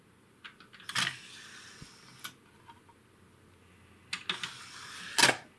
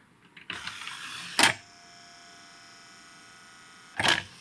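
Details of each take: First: Late-1980s Realistic (RadioShack) CD-2400 CD player after repair: a few light clicks and a short whirr as the tray draws the disc in, then quiet; it plays, changes tracks and ejects fine. Normal CD loading. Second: Realistic (RadioShack) CD-2400 CD player, late 1980s: short motor whirr, sharp clunk, pause, another clunk as the loader strains and fails to seat the disc; disc loading mechanism struggling.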